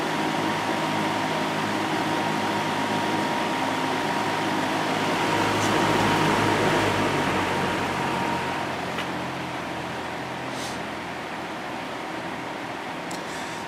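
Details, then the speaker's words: Air King PL20P vintage box fan with two-speed GE motor, final run after cleaning and oiling, grilles back on, earlier noise gone and motor running cool: soft, steady whoosh with a faint even hum, no rattles or scraping; very quiet and smooth. "fan is very quiet"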